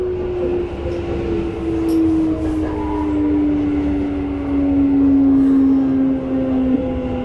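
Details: Toei 5300 series set 5315, Mitsubishi GTO-VVVF, on Keikyu line rapid limited express (Misakiguchi–Kanazawa-bunko), in-car recording: loud clear tone sliding down in pitch while decelerating over rail rumble, abnormal traction inverter noise.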